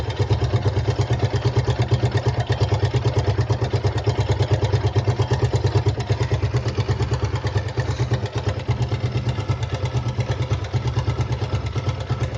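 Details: Gixxer 155 single-cylinder engine at steady idle: a fast, regular light clatter rides on each beat, suggesting chain or valve-train noise. Suspected timing chain, not confirmed.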